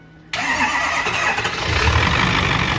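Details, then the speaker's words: 6.4 PowerStroke diesel with low compression on cylinder two (8% leakage) and blow-by, started after charging batteries: catches abruptly and runs rough and uneven with a ragged, spitting beat; hard start from low compression. "uh when you want compression low compression is makes it hard I mean the diesel fire is on compression so if you have low compression it's gonna it's gonna spit it's better and try to start a little bit like that"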